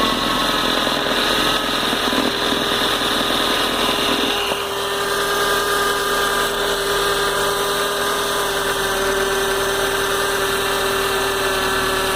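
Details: Car engine runs steadily with a constant high-pitched whine over the idle. It happens only in the morning and lessens after the car has been driven a lot; source unclear.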